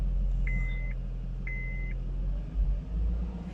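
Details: 2013 Honda Accord petrol engine idling with a steady raised drone and check-engine light on; idle speed sits high because the throttle idle position is unlearned.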